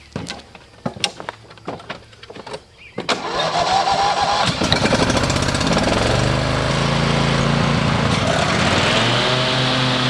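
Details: Riding mower with Briggs and Stratton 23 hp engine, started after replacing the ignition coils to cure rough idle, misfire and stalling: a few clicks and clunks, then it catches and runs steady and even.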